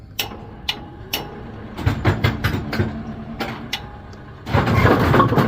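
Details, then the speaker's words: Brunswick GSX bowling pinsetter run right after a urethane belt weld repair: irregular clacks and knocks, then a steady louder mechanical rumble as it cycles; normal running with the repaired belt. "now for the moment of truth. Um, loud noise warning. I don't know. They're GS machines. They shouldn't be that loud."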